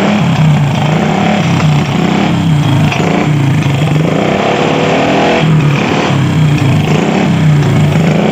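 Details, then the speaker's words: Honda Supra motorcycle with open straight-pipe exhaust, oil pump not delivering oil: loud, raspy, rough open-pipe idle with uneven throttle blips; noise consistent with an oil-starved top end, suspected not confirmed. "kenalpotnya bising sekali karena cuman pipa doang"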